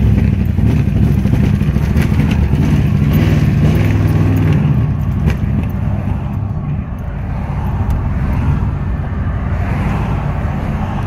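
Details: 1997 GMC 5.7 V8 that runs well until warm, despite new distributor, plugs, cam sensor, fuel pressure regulator, intake and MAF: uneven lumpy beat with stumbles in the exhaust, sagging as revs drop; misfire, cause unknown.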